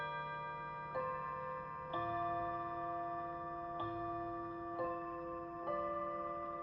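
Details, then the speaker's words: Seth Thomas Plymouth 1700 Series electric mantle chime clock after service, chiming at 7 p.m.: clear ringing notes about a second apart, evenly spaced with no hesitation; chime works normally. "Of course, when you're upstairs in this house, you can't really hear the chimes that well."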